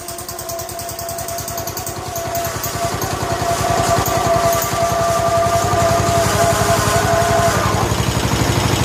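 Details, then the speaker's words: 1969 John Deere 140 H1 on a new carburetor, running after a cold start: a quick, regular single-cylinder putter that builds and holds steady with no stumbles, quiet and smooth. Normal running. "the next video you see the video clip will be it's running and it runs well runs quiet and smooth"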